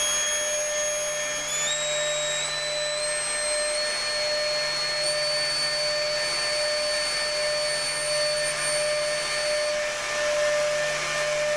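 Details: Upgraded Mk3.0 ZVS driver running a high-current transformer: steady firm high-pitched whine over fan hiss with no wavering or chirping; oscillating normally.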